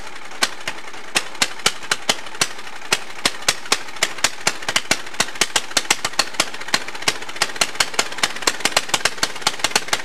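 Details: Allis-Chalmers racing tractor with swapped engine, governor removed, open pipe: sharp fast slightly uneven exhaust cracks; kill switch dead because its wire unplugged, engine nearly running away.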